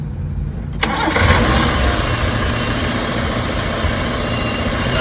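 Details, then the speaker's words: Ecco car after engine change, no-start with no spark despite new crank sensor, now ECM fitted and burnt wiring redone: brief crank, catches at once, settles to even steady idle without misses; normal start and idle. "Start हो गई है। Out time से start हो गई गाड़ी।"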